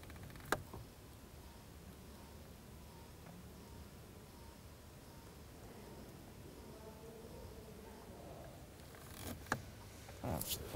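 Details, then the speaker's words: 2010 Chrysler Sebring Touring 2.4L, new blend door actuator under dash by driver's pedals, run via temperature knob from full cold to full hot to calibrate: faint steady whir for several seconds in quiet cabin, then stops; normal operation. "i went all the way to cold now i'm going all the way to the hot position okay so now the actuator and the car know which position the motor is in"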